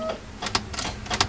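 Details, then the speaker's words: First-gen Ford Explorer during 5-speed swap prep: with the safety switch wires (pink and red/light blue) disconnected, only clicking is heard under the dash and there is no crank. Joining them bypasses the safety switch and the starter starts firing. "you just hear the clicking under the dash but then hook those two together it starts firing"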